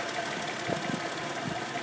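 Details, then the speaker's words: Carburetted petrol engine with the mixture screw turned in too far: rough, uneven idle with irregular coughs, a lean misfire; backing the screw out smooths it. "the engine wants to lean as you can hear it is misfiring and it is coughing and running very rough"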